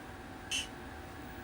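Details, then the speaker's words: 1980 Midway Space Encounters arcade sound board in test mode: two short, faint hissy bursts about a second apart over quiet background, the player shot sound leaking through when it should not be heard. Cause unknown. "all right you can faintly hear the player shot sound let me turn it up"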